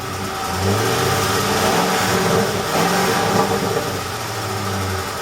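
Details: Ford F-150 5.4L 3V Triton V8 revving up and dropping back with light rapid ticking and an uneven pulse; misfire later fixed by replacing two or three coil packs and some spark plugs, ticking gone.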